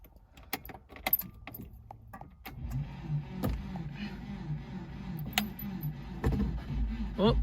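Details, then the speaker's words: Subaru Liberty wagon that sat years on a farm, fuel poured down a line, in 40-degree heat: the starter churns with even pulses for several seconds but never catches. It cranks but won't start; the owner suspects no fuel pump. "I got a feeling there's no fuel pump but we'll see what happens come on why is it not firing"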